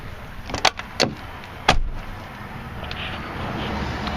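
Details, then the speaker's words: Mercury Grand Marquis door refitted after pulling the caved-in door post, before bolting on the new hinge: three sharp thumps as the door swings shut and latches solidly; door closes well, though striker is out and a seal air leak is likely. "that door is good nice right there"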